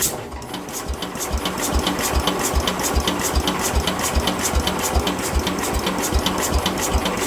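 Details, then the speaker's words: Speedex 1630 garden tractor with a new carburetor fitted, linkages not connected: even, rhythmic cranking at two to three turns a second with no firing; the engine spins but won't start, and the owner plans to pull the head. "Well, guys, that didn't seem to work. She acts like she's trying to, but it's almost like, I don't know. I can't really tell."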